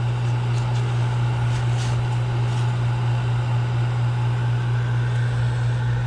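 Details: Draft fan running after pump change and rewiring, on a chilly 28-degree day: even, steady low hum with smooth blower drone, no rattles or knocks; operating normally.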